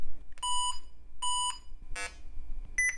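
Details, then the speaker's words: IBM ThinkPad 560E retro laptop from e-waste haul, after fitting CR1225 CMOS battery: two long high beeps at power-on, then rougher chirp and short tone; POST error 173, CMOS clock settings lost, cleared by setting the clock. "let's see if that goes away when I set the clock"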